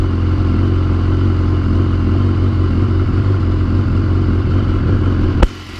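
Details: BMW S1000R after a manual cam chain tensioner was fitted: steady, deep, even engine note with no loose chain rattle or slapping; startup sounds better, the chain previously thought just slightly loose and smacking around.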